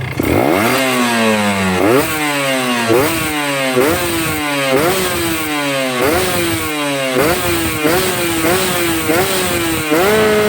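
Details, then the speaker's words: Two-stroke motorcycle (tagged Ninja) blipped repeatedly with the carburetor set correctly: revs climb and drop lightly and crisply with no blubbering low down, which the owner says means good fuel efficiency. Normal revving. "Nah, ini bisa teman-teman lihat nih. Enteng RPM-nya kalau settingannya pas ya. Putaran bawahnya nggak berbet."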